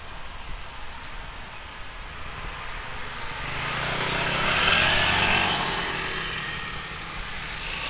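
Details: Speedybee Mario 5 DC FPV drone, Axisflying 2207.5 1960KV motors, T-Motor 5146 three-blade props, test flight after repairing stuttering motors: smooth, high whir swells and fades as the quad flies past, no stutter or dropouts; normal motor running.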